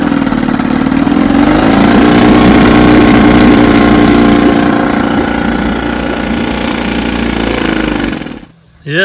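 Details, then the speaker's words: 1954 Evinrude 7.5 HP outboard, restore with replaced frozen power head, barrel test: catches and settles into steady even buzzing run with regular firing, no misses or knocks; runs fine. "she runs fine all I got left to do is finish the"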